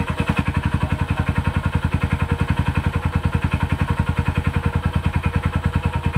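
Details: Rango 150 single-cylinder idling after crankshaft assembly replacement: steady, even thumping idle at roughly ten beats a second, no knock or rattle; engine running healthy.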